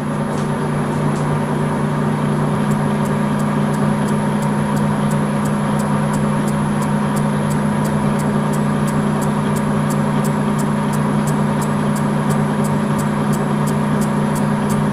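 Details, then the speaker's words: Lathe facing cut on a large iron blank being made into a bearing housing for a rotating welding positioner, fed 0.1 mm per turn to keep cutting forces minimal; steady low drone with light regular tick, no chatter, smooth surface. "okay facing complete very smooth surface uh well because this i did it in 0.1 millimeter steps this cutting"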